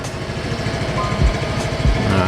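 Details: Used Yamaha Mio M3 scooter, engine sound check: steady, even low putter with regular firing pulses and no knocks or rattles; idling smoothly.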